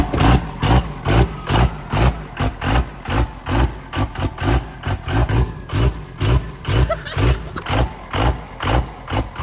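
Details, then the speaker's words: 1700 hp twin-turbo 3rd-gen Cummins drag truck, first start after build: loud uneven chugging about two beats a second, lumpy, whole truck shaking at idle; rough running, rail pressure sensor unplugged and not reading rail pressure, air in system suspected. "Probably got a lot of air in the system. It shit now. Also, it wasn't reading rail pressure, so that might have been why it was acting funky."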